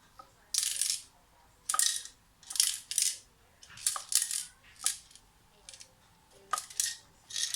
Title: Ibiza RGB LED Moving head with rattling noise from the head